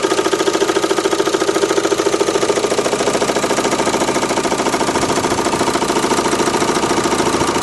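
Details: Renault Megane 2 1.9 dCi diesel: sharp, very regular knock about three and a half per second at idle over the clatter, disappearing when revs rise, with slight vibration; cause unknown.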